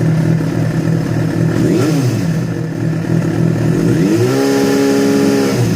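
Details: Yamaha FZ6 revving: revs rise and drop with a loose clattery rattle on the exhaust note; strange noise began after riding ~70 km on two cylinders from a failed ignition coil connector, cause unclear.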